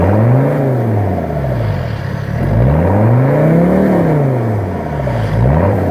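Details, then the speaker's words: 1984 Mercedes-Benz 300TD, recorded at the exhaust, straight-piped right off the turbo with no cats, mufflers or resonators: loud open bark rising and falling smoothly with throttle blips, no misses or knocks and no smoke, running normally. "She sounds pretty good, and she's not smoking. No smoke comes out of that, and that is completely straight pipe right off the turbo. No cats, no mufflers, no resonators."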